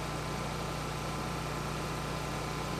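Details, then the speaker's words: Vintage generator, after a Briggs & Stratton Pulsa Jet carb rebuild, powering an air conditioner's compressor at 750 W and 59.3 Hz with RPM being raised slightly. Steady, even low drone with no dips or surges: normal running under load. "we're pulling 750 watts. I'm going to turn that RPM up just a little bit. You were 59.3 hertz."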